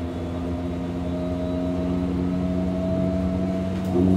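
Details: Hamburg U-Bahn DT5 unit 343-1 with worn motors, heard while braking: several steady humming tones drift as the train slows and grow stronger. Heavy traction motor hum under braking, cause suspected.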